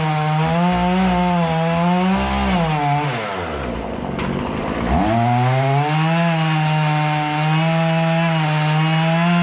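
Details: Husqvarna 236 chainsaw after carburetor removal, service and adjustment for stalling at idle when throttle released, test cutting wood: strong steady two-stroke howl bogging briefly into the cut, recovering cleanly; normal cutting under load.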